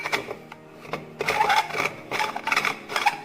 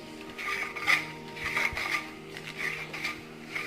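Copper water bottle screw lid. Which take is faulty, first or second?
first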